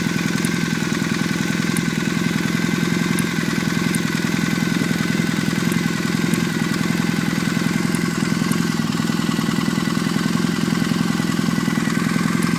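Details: Warm engine at idle: steady hum with sharp, irregular high chirps every second or two; source unclear.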